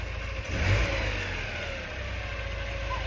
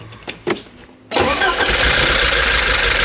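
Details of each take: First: Porsche 944 during restoration, first start after new crankshaft position sensor: after tapping on a misfiring injector, engine revs and settles into a smooth, even run with no stumble or missing beat. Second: Porsche 944 on its first start of the restoration, after a new crankshaft position sensor: it cranks, catches and runs at a noisy fast idle with an uneven, stumbling beat. A cylinder is missing from a sticking fuel injector, later freed by tapping.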